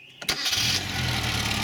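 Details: Car started on five 500F 2.7 V supercapacitors in series, about 13.5 V, after running with about 13.8 V from the alternator; brief whirring crank, then it catches cleanly and settles into a steady idle.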